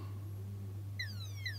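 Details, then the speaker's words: Epson ET-8550 printer mainboard with error 031006, capacitors tested in-circuit with an ESR tester: two quick falling chirps over a steady mains hum; multiple beeps mean high ESR, a capacitor suspected bad. "So this one, you can hear multiple beeps. That means the ESR is high."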